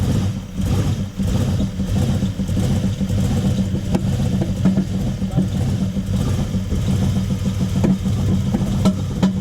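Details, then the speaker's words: Toyota 1UZ-FE V8 hot rod first start-up on new wiring loom: deep uneven idle stumbling and lurching with occasional pops, misfiring and running rough; fuel delivery questioned, cause not confirmed. "so the bottom is back down it runs but not very well but we will continue another day"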